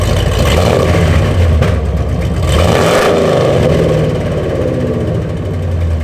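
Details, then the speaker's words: 2nd-gen Ram truck before a long-tube header install, with old headers fitted about five years ago: deep revving with raspy, puffing chatter on the exhaust pulses, "sounds like a NASCAR"; header pipes and collector rotted open with many holes. "the whole collector in there is just open that's why I twice think kind of sounds like a NASCAR it just uh yeah a lot of holes"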